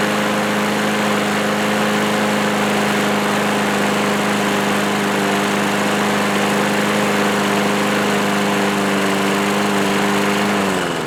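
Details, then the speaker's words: Old, well-worn 1986 Murray lawnmower single-cylinder, after a shot of starting fluid into the carburetor on full choke: holds a steady buzzing speed with no surging or sputter, then winds down at the end; runs pretty good. "nice so it actually runs pretty good surprisingly"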